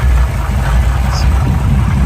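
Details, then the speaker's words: Original matching-numbers 1966 Chevrolet Impala V8 with points ignition, power steering and power brakes, idling at a car show: a deep, steady even rumble with no stumbles or knocks. Idles smooth and healthy. "runs nice and smooth got the H uh fer jet on it with Point still power steering power brakes that really runs nice and"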